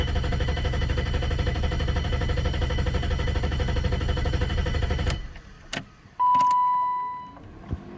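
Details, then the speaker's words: BMW E32 7 Series M30 six-cylinder idling with a steady pulse of about four per second, then cutting out abruptly with a warning chime; stalling again, owner first suspected air or fuel, later replaced the green-corroded crankshaft position sensor. "Okay, it just stopped again."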